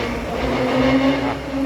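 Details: Ford Raptor with 10-speed gearbox driving at about 80 km/h, giving a loud steady mid-pitched differential howl over road noise, strong on acceleration and still present off throttle.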